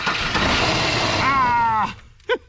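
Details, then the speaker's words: Long-dead car, first start after a starter repair with fuel dumped in: it catches with a rough roar, then gives a single sharp pop as it dies down. Backfire on start-up. "oh crap yeah when it backfires that's what it does yep"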